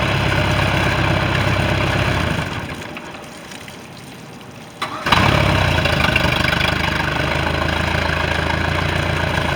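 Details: Bayliner with 3.0 MerCruiser, final running, with electrical issue and exhaust leak: engine cuts out, restarts cleanly and settles into a steady, even idle with a few blips; normal idle, sounds healthy.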